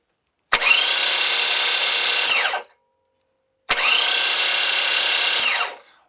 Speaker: So everything's working electrically, mechanically, but if you noticed, this guy comes to a stop awful quick, and it sounds like the bearings might be dragging or something like that, which would cause a little bit higher than normal electrical load.